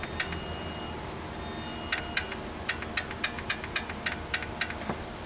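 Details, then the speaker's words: 2008 Honda Pilot 4WD with code P0976 (shift solenoid B low input): the solenoid, powered directly, gives crisp dry clicks in quick irregular bursts, so it works; the fault may be in the harness, and the solenoid and internal harness are to be replaced anyway. "Then we're going to touch this and see if we hear click. It's clicking. Now, that would mean that this solenoid, it should mean that it's good."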